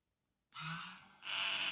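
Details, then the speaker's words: Truma SER caravan mover motor powered directly, polarity reversed, turns very slowly with a thin, steady electric whine that shifts higher after about a second; the motor is working. "there you go. Moving very, very slowly, and you can hear it making a noise. So we know that's working."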